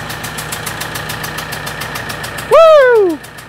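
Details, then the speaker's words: 4P10 diesel with a CP4 pump, first start after recutting the number 2 injector seat; the no-start was traced to loose fuel clamps, number four leaking. Even idle clatter with regular ticking, no misses, a short squeal: normal idle. "Number four is leaking. Loose fuel clamps. That was it."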